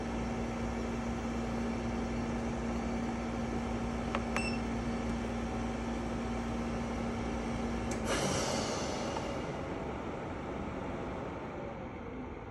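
Loud steady hum with a droning low tone that stops partway as the unit changes mode; the cause of the noise is unclear.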